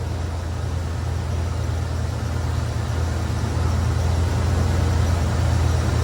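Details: Chevy 305 V8 in a G-body, cold start after a jump from a jump starter on a dead battery: it cranked over fast and settled into a deep, even, steady idle with no knocks or misses, left running to charge the battery.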